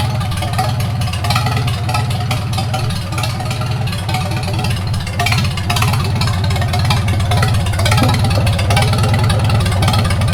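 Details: 1942 Farmall H tractor, hand-crank started after transmission teardown and repair of a scraping/screeching noise and hard reverse shifting, carburetor not yet adjusted: deep, even putter at slow steady idle, no knocks, misses or surging; normal idle.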